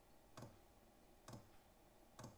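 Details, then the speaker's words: Vevor 5 kW diesel parking heater converted to run on dual Ryobi 18V One+ batteries, starting up: three crisp single ticks about a second apart over quiet background; normal fuel pump ticking, louder on recording than in person. "no that probably sounds loud to you guys I noticed it's a lot louder on video than it is in person um if I had this in a van or a a shed or a garage that that fuel pump is negligible you don't even notice it"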